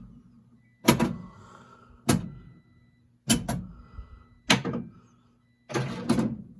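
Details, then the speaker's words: Gottlieb Black Hole MPU and driver board running in a Spider-Man pinball machine, coil test 17: sharp solenoid clacks fire one after another about every second over a low hum; solenoid 8 was blown on this driver board. "Test 17 is coil test."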